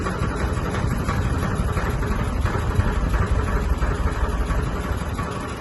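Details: Sony ceiling fan, 2022 model, at full speed: heavy uneven low rumble with rattling, strong wobbling and vibration; cause not found.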